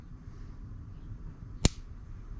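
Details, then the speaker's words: 2009 Hyundai Santa Fe with code P0441, engine off: scan-tool functional test switches the canister purge valve on and off, giving a single crisp click over quiet background; the purge valve is cycling and working normally. "oh that was a big one it's on and off right there it's cycling"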